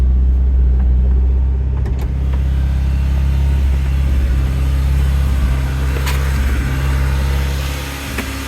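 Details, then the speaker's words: 1989 Honda CRX Si 5-speed manual, no catalytic converter, cold start: small belt squeak at start, then a steady fast hum idling high at about 2,000 rpm. High cold idle. "It started idle pretty high."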